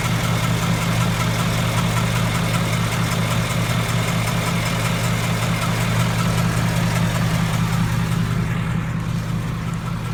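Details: 2015 Ford Mustang GT V8 at idle: a fast, light tick from the passenger-side cylinder head over the rumble. The owner suspects a cylinder head issue like the one on the 2003 Cobra; unconfirmed.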